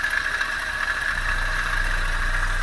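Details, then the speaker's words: Toyota Avanza after engine overheating repair, water pump new, idling: steady high squealing whine with rough undertone, oil level fine. "Oke ini suaranya kasar mudah-mudahan suara kasar ini ada di bagian luar ya panbelnya suaranya kasar mudah-mudahan sih kelar aja ya nggak di dalam mesin saya cek olinya"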